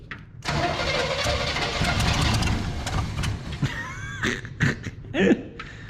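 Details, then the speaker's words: 1973 big-block Chevrolet C10 that sat for a year or more in a junkyard, cranking with the coil live: uneven, rough beat with sharp pops and smoke shooting out, but it does not catch. Owner suspects loose spark plugs and later finds two off; cause unclear. "Smoke shot out over here. How can smoke shoot out? Like spark plugs are loose. I mean that like pop pop."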